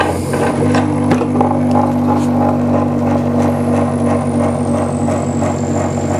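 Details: BoxMotor pulse motor after replacing a bad chip, tested on one coil at a time: steady ticking about three per second over an even low hum and a faint high whine. It runs normally.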